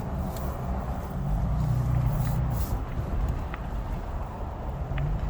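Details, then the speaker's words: 2023 Toyota Tacoma TRD Pro in a parking lot, hard full-lock left turn, microphone out the window: low, even rolling rumble with no clicking or popping; CV joints normal. "Now, we're in a parking lot. I'm gonna do a hard left turn. No weird CV axle noise."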